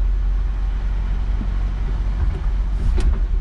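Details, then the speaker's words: 1987 Chevette converted to a manual transmission, running in gear through second, third and fourth: even, low engine drone with no clunks, grinding or surging; driveline runs smooth. "second gear third gear fourth gear oh it's smooth too"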